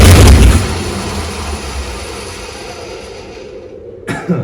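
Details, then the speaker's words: Chrysler 360 LA V8 in Valiant CH hardtop, first start in a long time after starter replacement, lots of blow-by; one heavy bang as it tries to fire, then dies with brief clatter; hard starting, cause unconfirmed. "i really don't know if it's going to start and want to run by itself or not"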